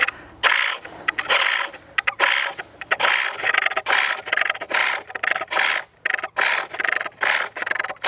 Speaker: almost sounds like there's a harder bit of the wood where you could hear it chattering maybe sometimes that sounds like a knot